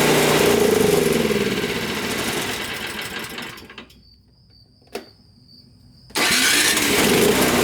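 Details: Toro single-stage snowblower that would not start, after GumBuster carburetor cleaner, fresh fuel and primer: fires up into an even putter, cuts out briefly, then restarts and runs smoothly, normal start and run.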